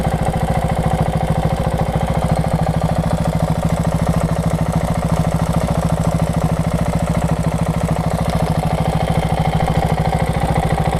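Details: KTM 690 SM LC4 single-cylinder, warm engine: rapid, regular light ticking over a steady idle, only when warm. Owner suspects the cam chain tensioner, unconfirmed. Running Motorex oil, previously Amsoil 10-40.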